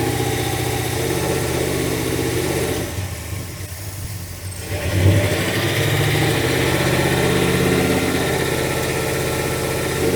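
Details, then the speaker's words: Carbureted V8 truck idling during a plug-wire pull test, owner believes one cylinder is dead: lumpy idle with an uneven lope that sags midway, then picks back up; dead cylinder misfire. "let me try this other one here I think it's okay this in here I believe is dead though"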